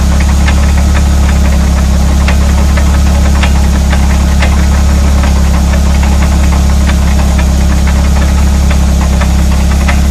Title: Rear hub rattle noise